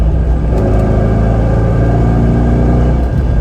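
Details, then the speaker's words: C5 Corvette on the interstate from about 50 mph: heavy low drone and howl with shaking, worse on deceleration, metallic twisty sound from the rear end; owner first suspected a wheel bearing, found exhaust pipe dragging on the rear axle. "So out of the blue, kind of out of nowhere, the rear end started vibrating at about 50 miles an hour or so when I was getting on the interstate, howling. Like, it's howling so bad."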